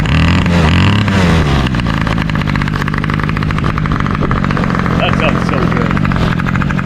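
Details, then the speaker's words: 2003 Toro 51938 trimmer with a 25cc two-stroke, cold start that caught on the first pull; revs waver briefly, then settle into a crisp, steady buzz with no misfires, normal cold start. "man that was a sick cold start fought on the first pole that is insane"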